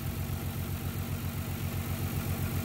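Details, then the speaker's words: 1994-1999 Nissan Maxima at idle, running funny with an uneven, stumbling beat; misfire traced to a failing ignition coil pack. "Okay guys, what we're doing, you can hear it running a little funny. Hope you can hear it anyway."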